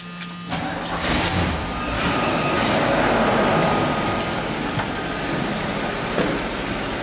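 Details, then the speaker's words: Chevy after exhaust manifold repair (seized nuts heated off, studs double-nutted with spacers, pipe cut and resealed with sealant), car back on ground: steady even run, no ticking or puffing at the manifold; exhaust quiet and sealed. "Now that's quiet. That's quiet. Now we're going to check it again for any leaks."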